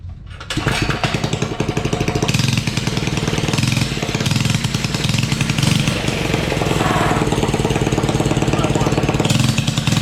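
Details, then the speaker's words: Suzuki ATV single-cylinder engine with open exhaust pipe and a slipping clutch, thumping steadily at low speed and never picking up; throttle stop not at fault, the throttle cable wire touches another part and restricts cable travel. "off so it wasn't the the throttle stop or nothing like that this thing has I had I didn't adjust it none basically what it was was when I was messing with it is the wire this for the throttle cable was touching that right here and not allowing it to move which it still is"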